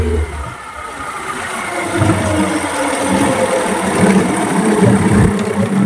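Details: Yamaha 15 hp outboard during test run after repair for hard starting and lost power (defective piston, narrowed dirty exhaust cleaned): steady busy two-stroke buzz without misses or surging; normal running.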